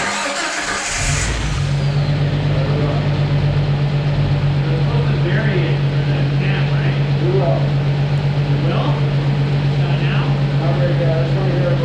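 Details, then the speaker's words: Jeep (Jurassic Jeep #73) after reassembly, distributor pulled and turned 180 degrees (oil-pump drive out of phase): engine catches after short crank and settles straight into steady even idle with no misses; starts and runs cleanly. "by pulling out the distributor turning 180 degrees the engine fired up perfectly so that's the explanation apparently it happens some of the time with these engines"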